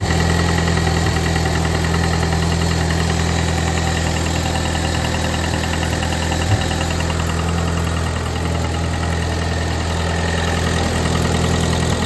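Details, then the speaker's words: Ford Mustang EcoBoost, idling with an irregular knock about three per second after a tuning session where AFRs looked fine; owner says it "ecoboomed" and suspects too much boost, deep internal engine damage suspected, not confirmed, engine coming out again. "Well, I don't know if you can hear it in the video all that great, but you can hear her going the old knockety knock, big knock knocks. So yeah, she ecoboomed."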